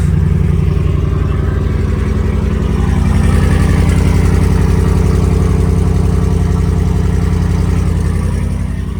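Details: 2011 Ram 1500 5.7 Hemi 4x4, after a temporary fix for crank-no-start with earlier misfire codes: strong, even V8 idle with steady loping beat, no misses or clatter; running healthy.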